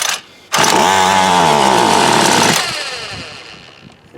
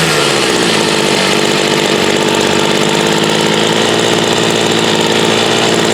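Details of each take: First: Homelite UT33650A 26cc trimmer with a brand-new fuel filter, tried primed and on half choke; a two-second pull-over whirr with no firing; the carburetor seems not to be getting fuel, and a Ryobi carburetor later made it run. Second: Homelite UT33650A 26cc two-stroke trimmer fitted with a Ryobi carburetor, idle screw bumped up: steady even idle, high raspy exhaust, no stumbling or surging; runs normally though carb still needs adjusting for this trimmer.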